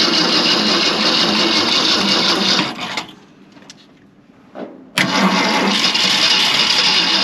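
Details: 1965 Ford Galaxie 500 with a 352 V8, after an ignition swap, cranks steadily at about three beats a second with pauses and never catches. The carburettor was starved of fuel by a plugged fuel filter.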